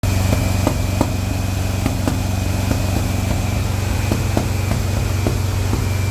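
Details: Engine idling during break-in run stumbles with uneven extra pops over a steady beat as one cylinder drops out; misfire traced to a bad number 4 spark plug wire.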